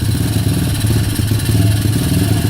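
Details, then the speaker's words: Kayo YX140E Klassic pit bike single-cylinder engine, throttle held in one position, revs dancing from 2.5 to nearly 1,500: thump keeps rising and sagging in speed instead of holding steady; hunting rpm. "Ручка газа в одном положении, обороты пляшут."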